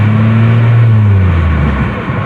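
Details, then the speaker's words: 2007 Grand Prix on the highway after its speed sensor acted up and the transmission began slipping: the engine holds a high droning rev, then sags with no shift step heard. The automatic has lost gears and won't shift; the transmission is suspected failed. "well i'm pretty sure that's it guys i've lost gears um [Music] won't shift"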